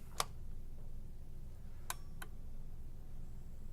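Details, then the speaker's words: Old pinball test fixture, GI relay clicking with sharp isolated clicks over a low electrical hum as the fixture reboots over and over, losing control of itself; a fault suspected after the unit was moved. "do you see how it's rebooting over and over again could you hear that relay clicking yeah yeah so that's that that's essentially I think that's that's a GI relay"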